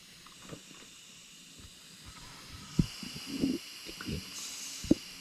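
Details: Gauntlet 2 pellet gun (air rifle) leaking air randomly after being filled: faint steady high hiss throughout, swelling at moments between handling knocks; air escaping, source unknown.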